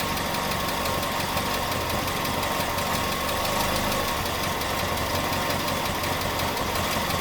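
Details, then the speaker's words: Datsun after an engine bay overhaul and new ignition coil, running hot: a smooth, even idle around 800 rpm with steady ticking and no stumbles. Before the coil it idled at about 750; before the overhaul it shook and galloped. "idling at 800 RPM now which is a change because it before the coil so before that new coil it used to idle at 750 go around there but it's it's gone up a little bit so that's that's something it's a change"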